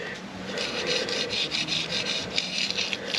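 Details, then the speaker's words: Ferrari 360 F1 clutch throwout bearing, removed and spun by hand during a clutch replacement: gritty, dry rasping in uneven bursts from a rough, worn bearing. "as you can hear mine doesn't sound too healthy let's have a little close inspection you can see it's definitely seen better days"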